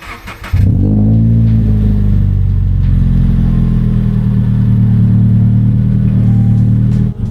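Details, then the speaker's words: Stock-header Subaru BRZ boxer, freezing morning, before unequal-length header install: smooth, even, steady drone with no lumpy boxer burble, not sounding like a Subaru; healthy stock exhaust note. "So, as you can tell, it doesn't sound like a Subaru. [music] So, hopefully that header fixes it today."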